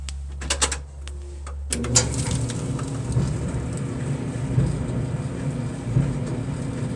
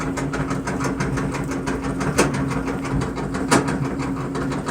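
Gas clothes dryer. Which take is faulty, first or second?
second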